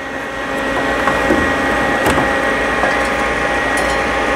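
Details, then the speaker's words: Louisiana Grills LG 900 pellet grill at startup, while testing for power to the hot rod igniter before a controller replacement: steady high fan whir with a faint hum and occasional light ticks, even and unwavering. Normal combustion fan running. "So we will start this guy up. You can hear that fan going, and we're going to just test out, because what should be happening is we should see some power ."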